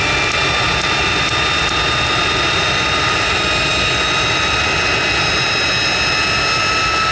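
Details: Jet truck turbine, first start after winter, fuel pump worked on and clogged fuel filter cleaned: steady high whine with strong even roar, no surging or sputter; runs better than ever, normal turbine run.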